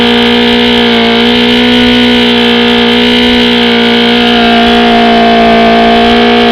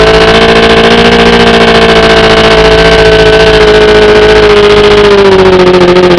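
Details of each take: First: OMC 125 hp outboard on a dyno after replacing the bad VRO fuel pump: a steady, even two-stroke drone at constant pitch with no stumbles. It runs well without pumping the primer bulb, so the fuel delivery problem is solved. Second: OMC 125 hp two-stroke outboard on a dyno: a steady drone whose pitch sags as the float bowls empty and the VRO pump cannot refill them, until it runs out of fuel. Fuel starvation from a bad VRO fuel pump.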